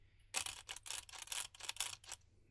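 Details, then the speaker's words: Hand-turned differential on a GENIUS GTC8E 2025 after tightening the bearings (right then left) binds with gritty, scratchy rasping and won't fall freely: ring-to-pinion mesh too tight, teeth forcing; shims (washers) to be changed. "Là c'est le cas typique de j'ai le l'entre dent qui est trop bloquée comme ça et les dents bah elles forcent."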